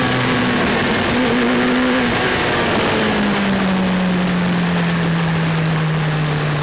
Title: Hayabusa misfires (ignition failure)